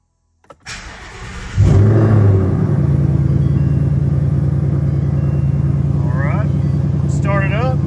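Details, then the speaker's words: 2020 Mustang GT V8 after a spark plug change: short crank, catches with a burst of revs, settles to a steady even rumble; normal start-up and idle. "so we're going to start it up let it run for a minute I'm going to move the wife Scat Pack into the garage out of my way and then we'll go for a ride"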